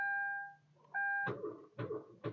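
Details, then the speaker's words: 2013 Kia Rio after days of increasingly slow starts: on the key, dash chimes and electronics power up, then only a few dull clunks and no cranking; the battery is too weak to turn the engine, so no-crank from a weak battery. "See that? We're getting enough power to fire up digital and different things like that, but not enough to turn the engine. So that right there is an indication that the battery's gone."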